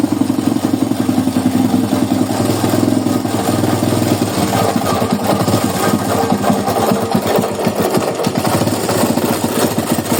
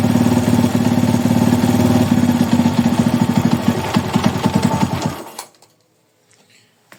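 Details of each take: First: Small single-cylinder motorcycle engine (Titan, carbureted) running with a harsh rattling clatter; mechanic plans to check the flywheel side, diagnosing a failed crankshaft bearing. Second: Honda Today motorcycle after replacing a failed crankshaft bearing: single-cylinder engine idling evenly with a steady, clean beat before being switched off; normal idle, strange engine noise fixed.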